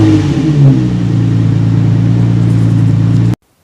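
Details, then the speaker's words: 2000-2003 Nissan Maxima with a major exhaust leak: the rusted muffler-pipe flange is not connected to the resonator extension pipe. A loud, deep, raspy unmuffled roar swells with revs, then cuts off, before the exhaust system is replaced. "Now before I set up shop and replace the exhaust system on this Nissan Maxima, I want you to experience what a major exhaust leak sounds like."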